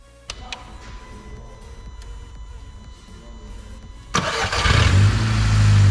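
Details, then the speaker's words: Audi S3 8P, EA113 2.0T FSI, just after cam follower replacement, started once the fuel pumps primed: a few light clicks, then a quick crank catches into a strong, even idle with no knocking. It starts and runs normally. "So then I let her run for about four or five minutes. So we can give her a little blip. Right. So that's a bonus. She uh she runs after the fuel pump is primed and then that's it."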